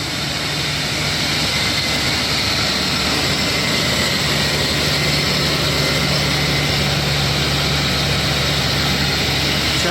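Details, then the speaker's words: 2017 Toyota Tundra, 4.6L V8 1UR-FE, 75,000 miles, at idle: constant high squeal with faint gritty grinding, seeming to come from the passenger side, pointing to a dry tensioner pulley bearing. "I could hear it I knew it's him I could hear there is some squeaking or grinding coming off"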